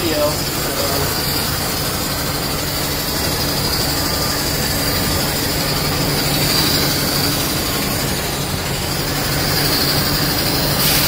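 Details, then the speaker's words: Semi truck idling: a steady hiss of air over the diesel and compressor drone, air blowing out the bottom of the air dryer because the purge valve is stuck open. "year dry right there on the bottom of it there's air coming out the bottom blowing off the third valve is stuck open"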